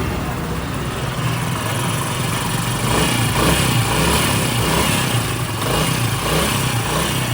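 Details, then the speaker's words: Honda CD70 motorcycle after tappet (valve clearance) adjustment with 10 mm T-handle: steady, even single-cylinder idle thump with no tappet clatter; noise fixed. "इसके टैपट करने से इसका sound accurate हो गया।"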